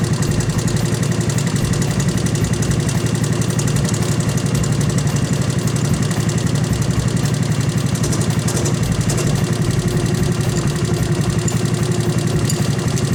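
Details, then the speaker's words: 1984 Honda ATC200S cam chain adjustment: steady idle with a light, fast ticking rattle about three a second as the tensioner is loosened, going quiet when the tensioner rod is pulled up; loose cam chain rattle. "you'll hear that camchain making a little bit of noise and then when I pull up on it you'll hear it get real quiet"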